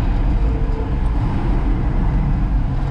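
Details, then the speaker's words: 1966 Ford F100 with a 300 six-cylinder: rough, uneven rumble that slows with more gas but steadies and strengthens as the choke is pulled, indicating not enough fuel to air. Owner suspects a plugged fuel system needing a tank and carburetor. "that means we are not getting enough fuel to air so if i restrict the air she runs good"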